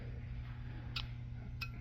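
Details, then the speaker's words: Hoffman JEL3/ELG4 steamer heater thermostat, alcohol-filled bulb pressing a diaphragm to switch two terminals, operated by hand: two sharp light clicks about half a second apart over a low hum; switch activating normally. "That clicking is the switch activating, okay?"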